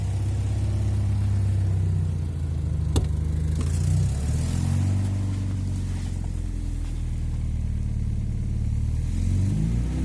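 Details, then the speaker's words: Alfa Romeo 166 2.0 TS petrol engine revving with a deep rumble and uneven knock, oil at full level; sounds like something loose such as a nut inside, cause unclear. "लगता है जिस तरह कोई चीज टूटी हुई नहीं, नट शट पड़ा होता है अंदर।"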